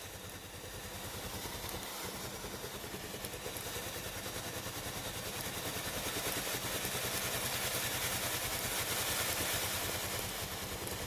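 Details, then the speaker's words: Philips GC7620 steam iron that gave no steam, tested after pump replacement: steady, gentle water-pump pulsing about three beats a second under a growing hiss as steam now comes out normally. "Vous entendrez le doux bruit de la pompe à eau. La vapeur sort maintenant"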